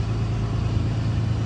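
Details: 2014 Ram 5500 Cummins 6.7 diesel with full aftertreatment, after aftermarket VGT actuator replacement (no calibration needed), running warm during regen, coolant 98 °C, DOC outlet about 535 °C: deep even hum, no knocks or surges; normal running.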